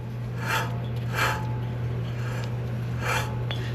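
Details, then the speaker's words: Front hub of a 2011 Ford F350 dually turned by hand: rough, gritty rasping swells with each turn, confirmed as a bad wheel bearing before replacing it. "that is [Music] definitely a bad wheel bearing without a doubt that is a bad wheel bearing"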